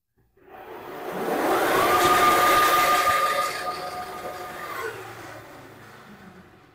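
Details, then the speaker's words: Vario converted to electric drive (VATIC), test in speed mode 1: rising, steady whirring whine with a faint high tone spinning up then easing off; noise comes from the CVT, ordinary belt-drive sound, nothing wrong. "Oke, suaranya memang tidak silent banget, tapi suaranya lebih ke arah bagian CVT ya Mas ya? Iya, betul. Ya, suara dari CVT karena CVT-nya dimatikan."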